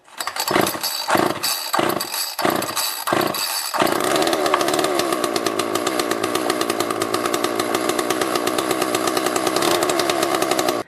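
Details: Homelite Super 2 chainsaw after a K10-WAT carburetor kit rebuild, first test run on choke. Mixture screws set about 1.5 turns out, penetrating oil sprayed in the carb, air filter off. A few sputtering pulls, then a steady even high buzz: normal running.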